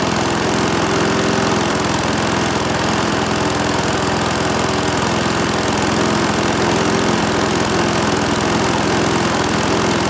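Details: Briggs and Stratton single-cylinder mower engine, serviced after oil starvation or neglect, gives a loud, steady buzz with even firing, no misses or knocks; holds speed and sounds healthy.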